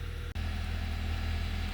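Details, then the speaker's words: 2012 Honda Accord 2.4L, cold and warming up, with codes P0302, P0303 and P0300 and a flashing check engine light: low, lumpy, pulsing idle from the cylinder 2 and 3 misfire; a crank sensor relearn is suspected as the cause. "you can see the check engine light still blinking because it has the uh P0 um 302 and p0303 um which is the uh cylinder 2 and 3 misfire and it has a p03 00 which is the multiple cylinder misfire"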